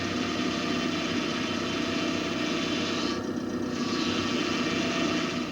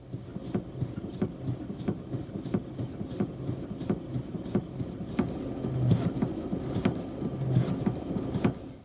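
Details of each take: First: GM power steering: steady, loud, higher-pitched moan with a rough edge, typical of the pump running low on fluid, often in sharp turns at speed; fix by topping up the reservoir and bleeding the system. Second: GM power steering system: sharp clunks about 1.5 a second, one each time the steering wheel is quickly snapped the other way; considered normal if from the pinion-rack mesh and valve-body internal stops, otherwise test the steering column and intermediate shafts.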